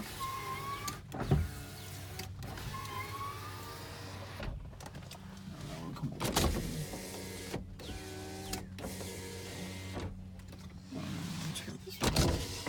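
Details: 2001 Toyota Avalon, 3.0 engine, automatic, 174,242 miles, front-end hit, engine not running: several short even whirring runs of the power window motors with clean stops, no grinding or binding; windows working normally.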